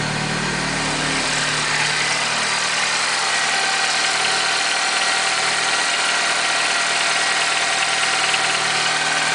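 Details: Peugeot RCZ cold start: engine idling with a fast, tinny metallic rattle over a steady hum, fairly constant throughout; cold-start rattle, source unknown.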